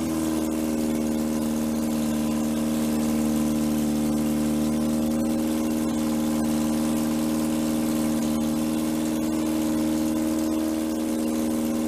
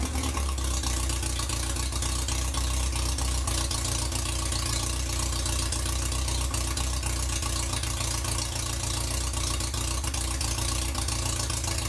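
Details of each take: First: 1947 MG TC XPAG four-cylinder on an engine stand, first run in about 40 years, about 50 psi oil pressure, leaking fuel line and no coolant yet: steady, even hum without stumbles but idling noticeably high. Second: 1947 MG TC XPAG engine, running on a stand after about 40 years lying on its side, with a temporary radiator and exhaust pipe and untested carburettors: steady, even low idle, smooth rhythm, no knocks or misses; may need a little fine tuning but normal idle.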